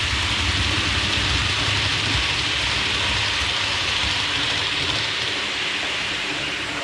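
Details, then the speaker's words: Hornby APT (Advanced Passenger Train) model coaches after wheel cleaning to cure a high-pitch wheel squeak, running about 10 minutes with no squeak returning: steady rolling hiss and low rumble, no high squeal; normal quiet running. "that seems to have solved the problem it's been running around the track now for about 10 minutes and hasn't started squeaking"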